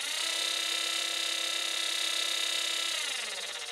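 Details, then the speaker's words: Small belt-driven variable-speed motor on a shop-built welding rotary table: steady high whine with a faint scraping edge, then spins down; owner suspects something rubbing inside, perhaps a piece of shellac; motor rubbing noise, unconfirmed. "That noise in that motor's still there. I think there's something rubbing, piece of shellac or something"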